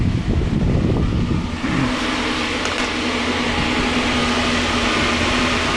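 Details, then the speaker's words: 12V mini-split AC in a Chevy Astro AWD camper van running on 200Ah of lithium batteries and drawing about 33 A at 440–445 W: steady compressor hum with a fan whoosh and a constant mid tone; normal running. "You can hear the AC compressor ripping."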